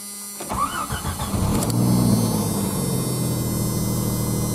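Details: 1991 Jeep Cherokee 4.0L High Output after a new fuel pump and filter: cranks, catches within a second and runs smooth and steady with no misses; still needs a head gasket.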